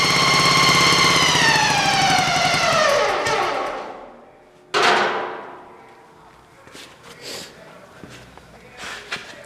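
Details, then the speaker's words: Racing lawn mower test fire in first gear: a loud gear whine drops steadily in pitch as the mower winds down; the transmission is heavily overdriven versus its factory underdriven setup, so it is noisy but not bound up. "the transmission is pretty noisy because it's being way over driven I'm like its factor set up which is way under driven so the transmission is really noisy but it's not bound up"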